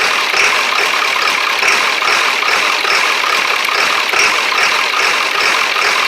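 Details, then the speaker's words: 1999 Ford Super Duty 7.3 diesel, cold weather, just fitted with a 1994.5 HPOP with check valves, stalled earlier: uneven, stumbling idle clatter with white smoke, as if a cylinder isn't firing; owner suspects air in the lines or old summer diesel. "this is air in the line or something it's probably a mixture of old diesel"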